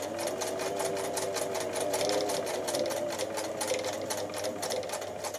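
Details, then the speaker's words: Singer 247 sewing machine, motor brushes checked, belt and motor reinstalled, running at steady low speed; even, rapid mechanical chatter with no knocks, smooth and fairly quiet for this model, noisier at higher speed. "I mean these are not the quietest machine so I would say pretty good you know pretty smooth and pretty quiet for for this machine"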